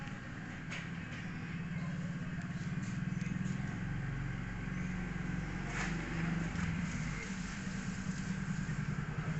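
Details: 2014 Yamaha Mio GT scooter on a road test after repair for smoking, power loss and frequent stalling: steady, even buzz builds smoothly as it pulls away and holds speed, no knocks or rattles; running healthy.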